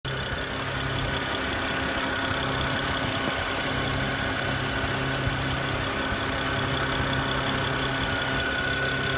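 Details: BMW 335i idling with a constant airy hiss and faint high whistle, heard near the alternator/intake and throttle body.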